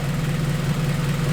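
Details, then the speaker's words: Acura RSX after return-style fuel system rebuild with cutter-style fittings, first startup, fuel pressure about 45, AFR near 14.7, no leaks: short steady low rumble with an even beat, nothing knocking or ticking; normal idle. "Sounds like she's doing alright. Make sure there's no leaks."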